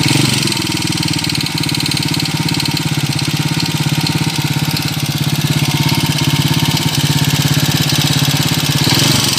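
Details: Honda TMX125 Kaliskis single converted to 200cc, back two weeks later with noisy engine: steady idle with light quick ticking on every beat; loose valve clearance tapping at the top end, to be readjusted.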